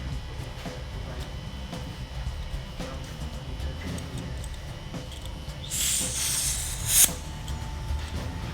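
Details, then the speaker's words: Mobile keg dispensing regulator with threaded 16-gram CO2 bulb screwed in, regulator turned off: short sharp hiss of gas escaping until the O-ring seals; normal. "hear a little bit of gas escape just while the O-ring seals."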